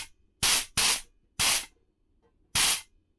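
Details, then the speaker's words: Rebuilt, previously stuck and rusted nitrous solenoid tested: four sharp, even hissing bursts, each under half a second, with clean cutoffs; the solenoid opens and closes properly. "That seems to be working fine."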